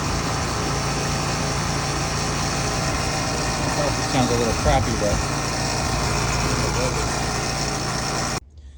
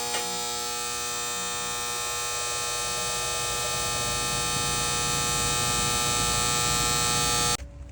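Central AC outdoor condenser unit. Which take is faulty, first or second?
second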